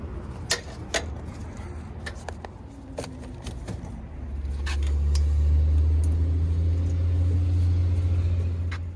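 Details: Daikin rooftop unit, two-stage gas heat, no-heat call, W1/R high and low called: a few clicks, then a low steady hum swells and holds evenly; the unit lights and runs normally.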